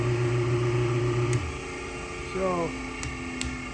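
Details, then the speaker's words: Old 1725 rpm electric motor, possibly for bench-grinder use, with probably original frayed cord and pulleys still fitted, switched on: fires right up to a steady low even hum, no knock, rattle or vibration, then winds down quietly; runs smooth. "so I'm going to turn it on and you'll hear it it just kind of fires right up smooth no vibration"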